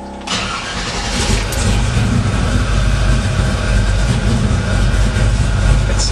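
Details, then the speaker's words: 1968 Chevy truck, 502 crate V8 with Edelbrock EFI, Hooker headers, MagnaFlow exhaust, recorded from inside the cab: fuel pump priming, short crank, then deep even lope with no misses or knocks; healthy cold start. "I'll go ahead and fire it up. Have you guys hear it? Okay, I'm inside right now, and you hear the pump going."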